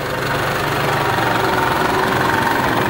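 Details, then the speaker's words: Toyota Bandeirante (1958) 4x4 after a full transmission overhaul, four-wheel-drive test: steady, even diesel clatter with the rear and front driveshafts turning smoothly, no clunks, whine or grinding. The driveline sounds healthy. "cardan traseiro rodando funcionando bonitinho certo seguir cardan dianteiro"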